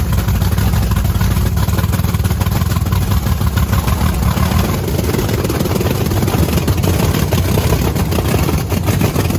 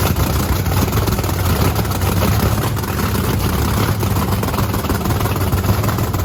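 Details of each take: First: Blower methanol Camaro with fresh plugs: loud, lumpy, stumbling idle. A heat gun shows two cold cylinders with the bigger rear nozzles; they suspect it's running very rich and plan to check the nozzles. Misfire; nozzles suspected, not confirmed. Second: Supercharged methanol-fuelled Camaro race car after injector nozzle cleaning; loud, lumpy blown-V8 rumble holds fairly steady with no knocks or misfires, running healthy until it burns through five gallons of methanol and runs out of fuel.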